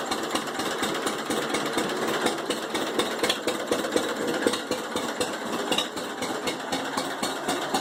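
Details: 1945 John Deere H two-cylinder tractor with a bad starter runs with a steady popping of about four beats a second, slightly uneven but without knocks. It had sat 20-plus years and was revived after cleaning the carb and mag; normal running.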